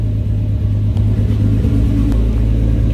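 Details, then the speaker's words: R33 Skyline GTST after carbon cleaned from idle air control valve, fixing low, rough idle and high AFRs: deep smooth steady idle rumble, no dips, stumbles or misses; normal idle. "oh we fixed her boys that's all it was it's a bunch of freaking carbon man that's all it frickin was"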